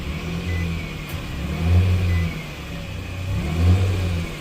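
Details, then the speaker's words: 2014 Nissan Frontier after fixing RPM-dependent rattle by clamping an exhaust heat shield whose clamps had rusted loose: engine revved twice, deep and smooth, no buzz or metallic rattle. "And we don't have any buzzing or rattling going on."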